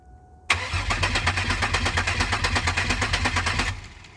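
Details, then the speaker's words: 2002 Pontiac Grand Prix GTP, abandoned car, first start attempt with the gauge showing a full tank: starter churns evenly for about three seconds, never catches. No fuel pump sound heard; fuel pump relay, fuses or empty tank suspected. "yep do you hear the fuel pump I'm not hearing anything try it again could be out of gas"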